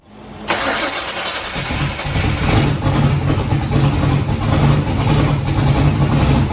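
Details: Foxbody Mustang with 408 V8 on Holley Terminator X, Ford Lightning 42# injectors, first start: fires on first crank and settles into steady deep lope without stumbling; idled great and completed first heat cycle, up to temperature; healthy start and idle.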